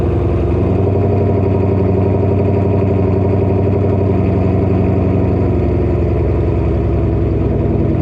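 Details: Ford GT500, about 700 wheel horsepower, newly catless exhaust with Kooks X pipe, first startup after reinstall: loud, deep V8 burble settling into steady idle with even pulse, no knocks or misses; healthy normal idle.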